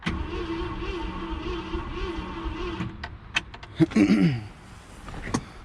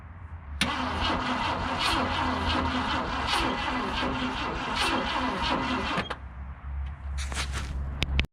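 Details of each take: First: 1966 Ford Galaxie, 352 V8 four-barrel, first start attempt after 26 years, gas poured down carburetor, points sanded: uneven churning crank then clunks, never fires; no spark suspected, coil suspected bad. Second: 1966 Ford Galaxie, 352 V8 four-barrel, automatic, first start in 26 years after replacing and gapping points: cranks briefly, catches within a second, settles to an even steady idle; still smoking.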